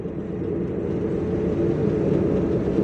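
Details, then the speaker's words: Car driving on the road with a steady low droning rumble like a distant airplane, vibration felt through steering and body; suspected faulty wheel bearing. "mobil ini kelihatannya itu lakernya bermasalah karena saya test drive seperti ini buat jalan itu terasa getarnya itu sampai ke stir ke body ya"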